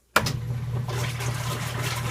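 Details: KitchenAid Prestige washer filling normally on normal cycle with a steady water rush and low hum, no clicking; the clicking occurs only on gentle cycle, cause unknown.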